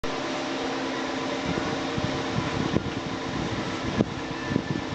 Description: Ступичный подшипник заменён на новый - наслаждаемся тишиной ! Тест на домкрате, передний привод, механическая коробка передач.